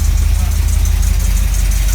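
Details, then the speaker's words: 1983 Camaro Z28 V8 after replacing burnt spark plug wires and setting the timing: even, steady idle with a smooth low pulse and no knock; a small exhaust leak can still be heard. "You don't hear that knock anymore. Still hear the knock? There was never a knock."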